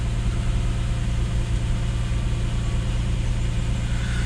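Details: Lexus IS200 (1G-FE) turbo project, cold after sitting overnight: steady cranking at about three turns a second that never fires; suspected fuel pressure issue, traced to a leaking fuel injector; it starts instantly once warm.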